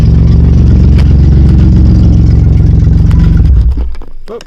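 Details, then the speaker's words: 2009 Dodge Grand Caravan SXT, started on a test battery, then negative battery terminal removed: steady low idle runs about three and a half seconds then dies; engine can't run off battery, so alternator isn't charging. "And then I will remove the negative battery terminal and see if it stays running."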